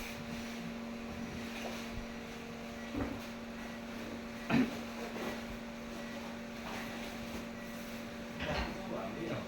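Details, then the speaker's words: Yokisa massage chair during reassembly, still fitted with the faulty massage mechanism: a steady motor hum at one pitch with odd light clicks and no travel noise; motor spins but the mechanism doesn't travel or do its scanning. "Ini mesin harus scanning ya, cuma karena saya masih pakai mesin yang rusak tadi, jadi dia sama tuh kondisinya. Muter tapi nggak jalan ya."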